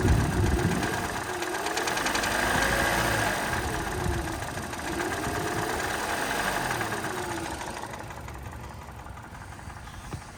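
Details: 2013 Hyundai Elantra at idle: dull, soft knock at about four per second over a smooth idle, suspected piston slap.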